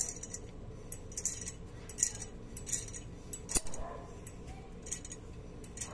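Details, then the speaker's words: Drum brake, rear wheel suspected, metallic noise while driving traced to a brake spring catching at the bottom: light metallic clinks recurring about once a second as the wheel turns. Loose brake spring rattle; tested again after moving the spring down. "como é que pode uma molinha tão simples fazer uma bagunça tão grande uma dificuldade medonha para encontrar esse a origem desse barulho"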